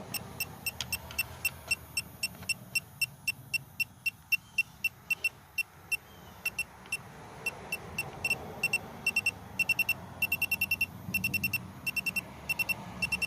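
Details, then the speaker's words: 2017 Chevy Malibu AC system checked with an electronic leak detector at the front of the compressor: shrill beeps about two a second, bunching into faster runs; refrigerant leak likely at the compressor seal, not the evaporator. "so I think probably maybe the seal on the compressor is leaking give it another shot here yeah so it looks like it's actually the compressor and not the evaporator"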